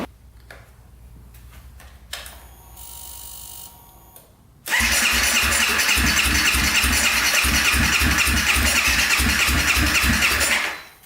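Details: 2014 Honda CRF250L, cranked after the exhaust pipe was checked and found not clogged. Brief clatter, then long loud steady cranking at about three and a half beats a second that never fires. Still won't start; cause unknown.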